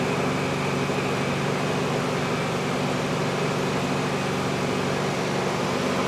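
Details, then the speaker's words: 1971 VW Bus air-cooled engine running after another shop said it needed an engine: smooth, constant hum with fan whir, no ticking or knocking; engine sounds healthy, normal running. "Engine sounds healthy. Engine does not say seem like it cares."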